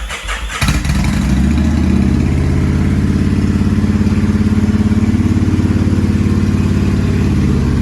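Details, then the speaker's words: 2000 Kawasaki Vulcan 1500 V-twin, 42,000 km, after cam chain tensioner upgrade mod for earlier chain slap: starts and settles into steady, even lumpy idle with no grinding, pinging or chain slapping; healthy. "That was perfect. So the cam chain tensioner mod works extremely well. We don't hear any grinding or pinging or chain slapping."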